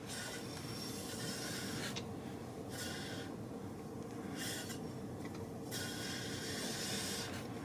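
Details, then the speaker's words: BMW R1200 GS Adventure LC wheel turned slowly by hand after the bike was dropped. Uneven raspy scraping bursts come and go at the drop spot near the caliper carrier. The owner suspects a warped rotor and plans to replace it. Brake disc rubbing. "I hear it rubbing right there. And you can see it moving out away from the carrier."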